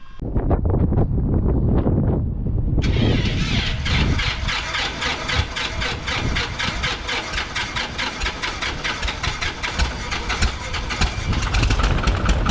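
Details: High-time Commander 112 aircraft engine after a troublesome annual, primed, full rich, throttle about 1/4 open: a few seconds of uneven cranking, then catches and settles into a steady, fairly even idle with no knocks or misses; normal start.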